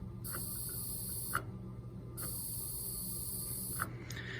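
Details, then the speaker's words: Teledyne Laars boiler with pilot out, gas valve turned to pilot: steady thin hiss starts and stops with each press of the pilot gas button; gas is flowing, so the gas supply and valve work. "This allows you then to push your gas button. See if you can hear it."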